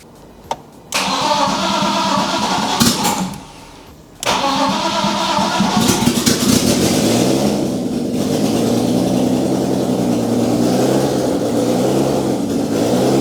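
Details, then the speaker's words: BMW E46 coupe, first start after swapping in an M52B28TU on MS43, still on the B22 map; long cranking, hesitant catch, then uneven lumpy idle that never settles; rough running expected from the wrong engine map. "Keep in mind it's gonna run really bad because we're still running the B22 map."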